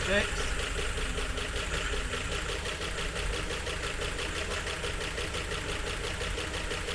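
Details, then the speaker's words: 1951 Chevrolet Fleetline after correcting firing order, makeshift air-only carburetor with throttle cracked by cable tie: uneven lumpy idle with a stumbling beat, like a cylinder not firing properly; rough running misfire, cause unconfirmed. "Wow. Well, it runs sort of."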